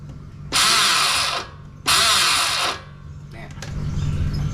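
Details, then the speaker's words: Honda Wave 110i with an electric starter installed about 4–5 months earlier: two harsh whirring bursts and the engine never catches. The starter drive gear threads are stripped, so it grinds instead of engaging. "คือมันรูดไอ้ตัวเกลียวมันรูดไปแล้วนะครับตอนนี้ไงลองฟังเสียงดู"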